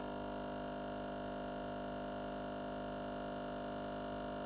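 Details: Used Breville Barista Express BES870 pulling a shot at grind size 2, 30 g in 32 seconds: steady, even buzzing pump hum at one constant pitch, no surging or rattle; pump running normally.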